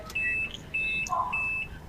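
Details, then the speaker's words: Murphy fully automatic washing machine showing E5 error: repeated high-pitched beeps about every half second in a quiet room. The drain motor switches on and off but E5 won't clear, and the main motor won't run on wash or spin. "उसके बाद जो है जब हम air बंद कर देते हैं वो बंद हो जाती है ड्रेन मोटर एरर कोड जो है E5 वो हट नहीं रहा है"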